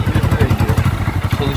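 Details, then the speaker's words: Hero Glamour 125 single-cylinder motorcycle, about 20,000 km, heard from a distance: even thumping beat about ten pulses a second, no clatter or misfire; runs smooth and quiet, normal running. "onun dışında motor çalıştıralım sesini dinleyelim Anahtar nerede üstünde ver sessiz çalışıyor uzaktan"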